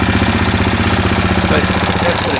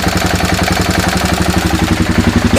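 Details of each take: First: 2000 Kawasaki Lakota single that smokes and burns oil (owner suspects rings), after an oil and filter change, on the stock carburetor, idling as it runs out of gas: a fast, even light valve tick rides over the thump. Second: 2000 Kawasaki Lakota single that smokes and burns oil (owner suspects rings), just after an oil and filter change, started in neutral: starter cranks briefly, it catches and settles into a steady, even idle with no knocks, ticks or rattles.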